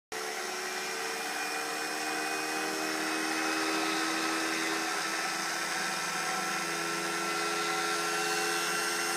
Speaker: I was mowing with it running just fine and it shut off but that sound that you just heard was going in the key doesn't seem to have an effect on it